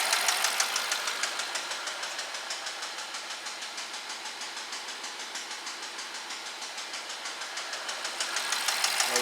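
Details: 2012 BMW 650 with 4.4 twin-turbo N63 V8 at idle: a sharp, regular knock about three times a second over a hissy idle, steady and fairly consistent. Diagnosed as a cylinder rod knock by scope, and a knock-sensor-related code was logged.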